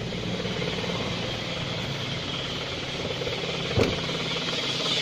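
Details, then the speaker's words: Car warming up at cold idle without revving so oil can circulate through the engine, oil not yet fully up: steady, even idle with a fine busy chatter and no knocks or misses; healthy engine warming up. "jadi biarkan sesaat seperti ini tidak usah kita Gas sampai politik bener naik dalam ke dalam mesin kita"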